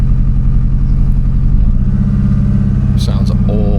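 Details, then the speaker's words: Car loses power on the road, shortly after hitting a flock of magpies, now running on what feels like three cylinders; rough, irregular beat of three to four pulses a second, sounding awful; part of the piston crown was later found missing. "We've lost power and now it sounds like super impressor. I don't know what its problem is."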